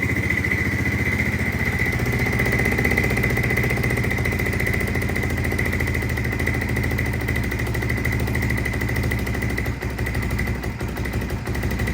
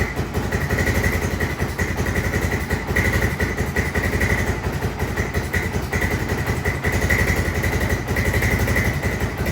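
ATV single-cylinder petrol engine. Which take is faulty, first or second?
second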